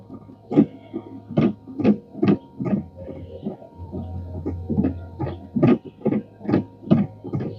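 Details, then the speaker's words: Replacement wiper motor on a 2016 Chevrolet Equinox, a Chinese aftermarket part, makes rhythmic groaning pulses a little over one per second over a low hum; the new wiper motor itself is noisy. "sounds Chinese is that just a motor making that noise"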